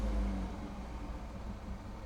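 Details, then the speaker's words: Peugeot 308 GTI just fitted with an AIRTEC intercooler for track prep, cold start with bumper and lights unplugged; AFR about 14.4–14.5, quite rich on cold start; deep even rumble settling smoothly, no knocks or misfires, normal cold idle. "AFR's adjusting, 14.4, quite rich. But it's cold start though, so 14.5."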